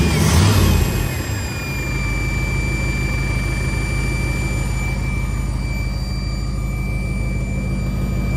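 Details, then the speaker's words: V8 with Edelbrock 650 carburetor after carburetor rebuild/cleaning: steady thin high whistle over the rumbling engine at constant pitch; unexplained whine, owner suspects it relates to the cleaned carburetor, unconfirmed. "what the hell is that whining"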